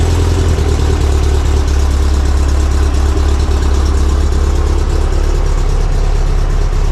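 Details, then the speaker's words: Barn-find VW single cab at first start with a new Vintage Speed stainless exhaust: a deep, steady, smooth idle burble with no rattles or blowing, quieter than before; normal idle. "good unreal there you go so that's the sound of the vintage speed exhaust that sounds nice yeah it does it's got a got another good night i think it's quieter it is quieter yeah totally it is quieter"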